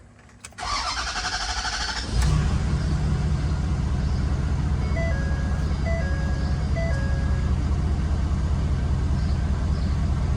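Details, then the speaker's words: Ford F-250 6.7 L Powerstroke diesel after fuel filter conversion, fuel system primed with key cycled seven times: brief crank, catches in about two seconds, settles into steady even idle over a dash chime; healthy start. "it took a little bit of start to I mean not even that bad honestly so sweet"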